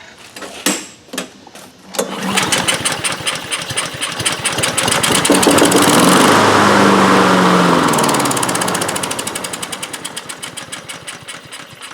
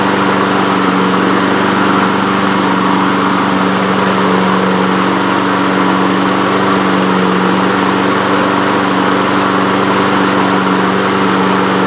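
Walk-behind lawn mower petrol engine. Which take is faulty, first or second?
first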